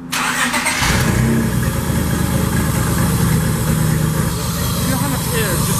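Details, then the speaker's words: J32-swapped EK Civic on a new junkyard single-turbo manifold and exhaust fitted without gaskets, at idle: loud, raspy idle with puffing chuff escaping at a manifold flange; exhaust manifold leak. "Yeah, on idle. There's a good amount of air. No, it's definitely from one of the flanges."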